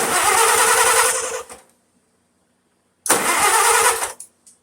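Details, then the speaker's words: 1951 Farmall Super A, first start after in-frame rebuild (new pistons and sleeves, valves reseated) after sitting 22 years locked up: two bursts of steady starter cranking with even compression rhythm, no firing, because the fuel valve was off. "Turn the gas on, dummy."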